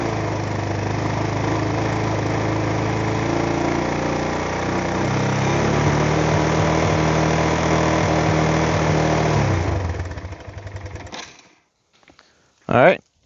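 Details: Kawasaki Bayou 220 ATV, idling right after oil and filter change: small single thumps at steady idle for about ten seconds, then clean shutoff; runs evenly, healthy.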